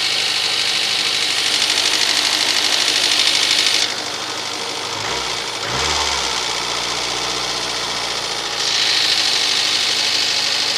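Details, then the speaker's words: VAZ 2110 8-valve petrol engine, fully cold at start: fast, uneven crackling knock about three per second over idle; fades as idle drops to 1000 rpm, still heard on revving, gone when warm; cause unknown. "Короче, двигатель совершенно холодный. И вот такой треск."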